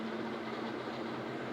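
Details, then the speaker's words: Ceiling fan after replacing its 6201 and 6202 bearings and capacitor at home: steady, even whir with a faint hum and no knocking or grinding; the earlier noise is gone and it runs smoothly. "જુઓ, પંખો લગાવી દીધો છે, અવાજ બંધ થઈ ગયો છે। એમાંથી એક ધારો અવાજ આવતો હતો, તે બંધ થઈ ગયો છે। કેટલો સ્મૂથ પડે છે જોઈ શકો છો તમે વિડીયોમાં।"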